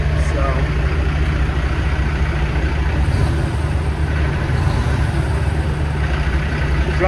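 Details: Big diesel truck idling just after new parts were fitted and the fuel pump primed, following fuel issues that made it shut off on the freeway: deep, even rumble, steady loudness, no surging or stumbling; idle sounds healthy.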